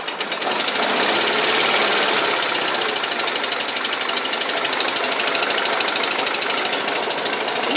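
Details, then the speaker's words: Toro Z Master mower, about 2010, 27 hp Kohler Command twin: fast uneven chuffing with a lumpy, lopsided beat, running rough and down on power on one cylinder. "can hear it audibly too if you listen to it it doesn't have that smooth sound and it sounds like a running rough"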